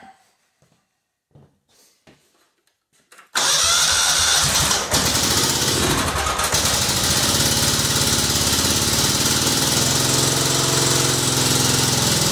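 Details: Kohler Command CH16S in a Cub Cadet 2166, very cold start around 30°F after head gasket, crank seals, valve stem seals, new coil and module: a few clicks then fires at once into steady even chug; normal.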